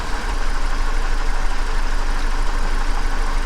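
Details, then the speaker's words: 2007 Chevrolet Silverado with check engine light: rough, shaky idle with irregular low thump and missing beat after swapping coils between cylinders 3 and 1; misfire moved from cylinder 3 to 1, so the ignition coil is faulty. "we're all plugged back in still running rough let's try this out again i'm gonna pull this again on cylinder three oh the problem moved all right"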